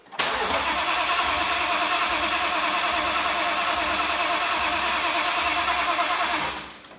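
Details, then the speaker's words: Ford Mustang with a freshly installed, fully built RPG engine: steady, fast cranking for about six seconds that never fires; with the current tune the fuel pumps aren't turning on. Crank, no start. "It appears that on this current tune, the fuel pumps aren't turning on for whatever reason."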